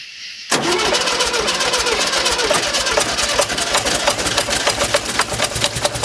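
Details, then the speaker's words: 1971 VW bus with new carburetor, throttle cable not returning well, quart of oil added, timing about 4 degrees off; fast, uneven idle with irregular ticks and stumbles, running like a misfire; timing or plugs and wires suspected. "Alright guys, well, I know that I'm out about 4 degrees in timing. I don't know if it's what's causing it to run a little rough. It's honestly running like it has a misfire, so maybe it's about time to do some plugs and wires."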